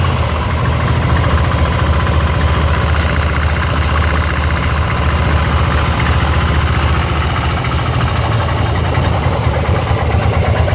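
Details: 2002 Harley-Davidson Ultra EFI Twin Cam: loud, lumpy idle with an uneven knocking underneath at about three to four beats a second; the owner cannot identify the cause of the abnormal engine noise.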